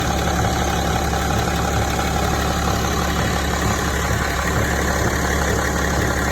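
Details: BMW E65, 2006, 3.0 diesel idling: dull, loosely spaced knock under the diesel clatter; engine knock at idle, cause not identified.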